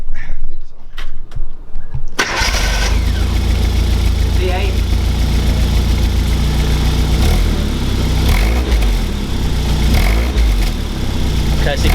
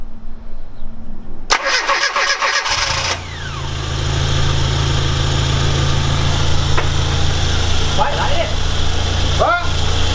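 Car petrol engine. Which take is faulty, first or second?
first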